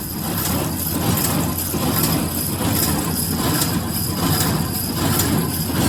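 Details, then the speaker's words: New Holland 311 square baler after replacing feeder tine bearing caps that had allowed wobble and rubbing: steady low drone with an even thump about 76 per minute, no rubbing or wobble; running smoothly. "I think we got it, and it's running pretty smooth. My baler didn't blow up when I fired it up, so that's all good."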